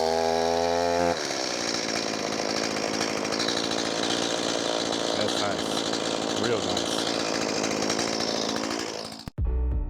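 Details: Newly bought Stihl MS180C gas chainsaw, 16-inch bar, non-California model, after cold start and a few minutes of warm-up: steady high buzzing engine note holds evenly without stumbling or surging; normal running.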